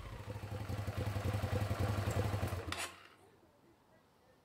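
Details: 2006 Hyosung GT650S V-twin after carburetor cleaning, previously running on one cylinder: even, steady firing from both cylinders through a short rev before shutting off; running clean and healthy.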